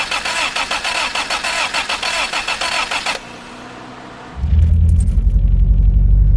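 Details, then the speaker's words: Toyota Tercel 4WD swapped to a 4A-C engine, started cold without the choke: a long crank, then an uneven, stumbling idle from a worsening misfire; the owner does not think it is an exhaust leak and the cause is undiagnosed. "I'm going to not set the choke so you guys can hear this hear that really uneven"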